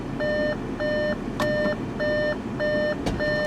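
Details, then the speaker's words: 2015 Audi Q5 Quattro: door-open warning chime with regular mid-pitched beeps, about 100 a minute, each about a third of a second long, sounding with the door left open. "I know that the door is open this thing is annoying man"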